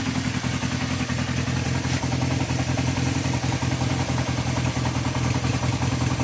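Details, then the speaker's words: Honda CB350 four-cylinder motorcycle, warmed up after carburettor cleaning, idle screw turned down to a low idle: a slightly uneven, lumpy beat from the carburettors being out of sync, before balancing. "then when it goes to like a sort of a low idle you can hear it's a little bit out of"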